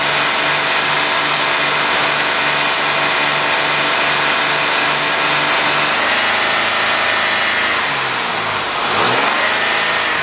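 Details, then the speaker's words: 2005 Chevy Impala 3.8 that stalls when warm, running with the mass airflow sensor unplugged as a test: steady run, then sags and dips around eight seconds; the mass airflow sensor is bad. "so we got a bad sensor all right we got a bad mass airflow sensor here"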